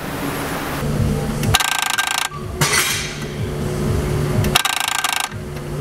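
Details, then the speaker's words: Chrysler 2.4 World engine electronic throttle body (codes P2111/P2112), sound under the hood at key-on: a few seconds of rapid buzzing, tapping noise like a woodpecker, repeating each key cycle; damaged throttle body gear teeth. "one of them may be an audible noise that you hear under the hood every time you turn the key on it's going to sound like a woodpecker it's kind of a buzzing type tapping type noise that goes for a few second seconds"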